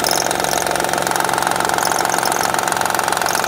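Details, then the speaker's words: 2007 Honda Odyssey Touring 3.5 at idle, noise on the pulley side: quick, fairly even clatter about four times a second. Diagnosed as a damaged timing belt tensioner with the belt moving side to side; the tensioner and timing belt were replaced. "vamos a ver en dónde está el ruido ahí está el tensor el tensor es capaz en el ruido se siente que aquí se acaba y ahí está el ruido"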